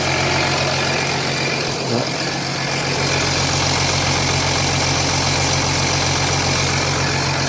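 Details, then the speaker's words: 2007 Jeep Grand Cherokee 3.0 CRD diesel started from cold after the oil pressure light came on; oil level correct. Constant metallic rattle over the idle clatter, not localised at the front. Timing chain suspected; not confirmed. "For me, that sounds like it could be timing chain issues. And it's just echoing through the engine."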